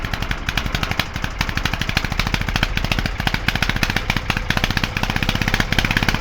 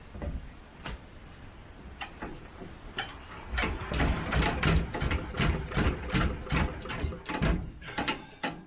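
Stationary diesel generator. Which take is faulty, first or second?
second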